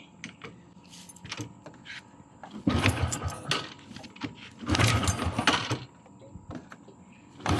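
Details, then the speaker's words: Modenas GT128 after kick starter replacement, weak battery (about 8), choke pulled, sat long unused: several kick-start bursts catch briefly and die, never settling; hard cold starting, fine once running. "Dia kalau lama tak naik, dia kena tarik chop. Lama tak naik, tapi bila dah hidup sekali dia okey lah."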